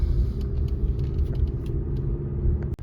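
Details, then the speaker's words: 2015 Toyota Venza driving after repairing the rear heat shield: smooth, low road rumble with no clanking or scraping, as the shield no longer rests on the spinning rear driveshaft. "so the loud clanking noise scraping clanking sounds are gone because the heat shield is not resting anymore on the rear jeff that's spinning and we're good"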